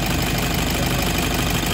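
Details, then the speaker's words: Toyota D4D diesel with throttle delay and EGR, speed sensor and IAT fault codes, idling after adding engine treatment. Quick, even light valve-train tapping over diesel clatter, now somewhat reduced. "Pakiramdaman nyo yung valve train mechanism nya, ay sorry, tama, yung valve train mechanism medyo na-lessen yung ano, yung ingay."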